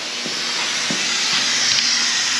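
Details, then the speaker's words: Aluminum air tank pressurised for testing after TIG weld repair: steady high-pitched unrhythmic hiss of compressed air escaping as a reusable cap slowly works loose and blows out; air leak. "Oh, sounds like another leak just opened"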